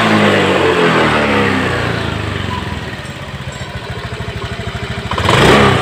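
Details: Honda Beat ECO scooter after TPS fix, TPS voltage reset to 0.48V: rises cleanly from rev, drops to steady even putter about three beats a second, picks up crisply; normal idle and throttle response.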